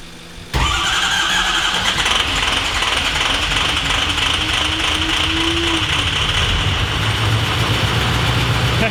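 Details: Adventure Bus engine at first start after a fuse box pin fault: uneven chuffing beat like a choo-choo train, with cylinder 7 dead and misfiring; fuel pressure 60 psi and injectors tested good.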